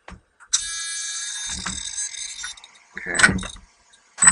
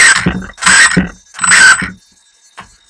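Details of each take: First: Team Associated RC10 B5m 1/10 2WD mid-motor electric buggy with a modest sensorless motor, after slipper clutch adjustment: short whirring launches lift the front end, with brief slip that doesn't drone on, a good initial slipper setting. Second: Team Associated RC10 B5m 1/10 2WD mid-motor electric buggy with a not very torquey sensorless motor: short punches give high motor whine that flares freely with little bite, as the slipper clutch is still set too loose and slips more than wanted.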